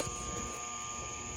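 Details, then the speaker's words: Shop fan made in 2003, about 20 years old, switched on at low setting; steady electrical hum with a thin high buzz and hardly any air movement as it barely spins, pointing to a seized motor bearing. "so just to prove to you this thing is kind of humming but kind of spinning but it's it's not healthy at all"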